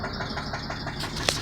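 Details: Chrysler petrol engine idling with a light, regular knock, about six taps a second; the low oil pressure light comes on and it then runs poorly.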